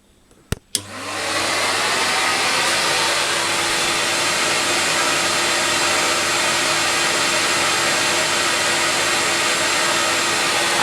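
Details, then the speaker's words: CamVac dust extractor with cyclone, one motor running, baffle tube pointed into workshop corner away from operator; steady air rush and motor hum under 75 dB, not ear piercing, running normally. "that's under 75 so it's actually really comfortable working there's no harsh in the ways it's not ear piercing it just sounds like air rushing out of the piping in the actual fact that's what it is"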